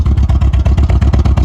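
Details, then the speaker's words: 1985 Ford Escort wagon, 1.6 L two-barrel carbureted inline-4, before a compression test. Heavy, low exhaust chuffing with uneven beats: it runs rough and blubbers, with some white smoke and audible vacuum leaks. Cause suspected, not confirmed. "there you go kind of blubbing a little bit not running too great but there's not a lot of smoke coming out but there's definitely some coming out"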